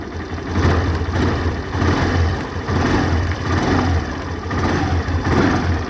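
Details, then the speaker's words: Access 125 scooter started with a single self-start press after an air filter and spark plug change: steady low idle hum with gentle swells on throttle blips, even and smooth. Normal idle; a fuel average of 60–65 is now expected. "तो guys ये काफ़ी ज़्यादा smooth sound कर रही है अब।"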